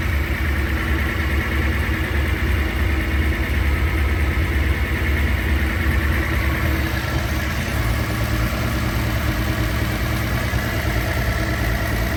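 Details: Idle after rebuilding three Solex Mikuni Type R carburetors, done because leaks caused bad cabin smell and poor running: steady, even low idle, smooth rumble, no hunting, misses or stumbles; normal idle.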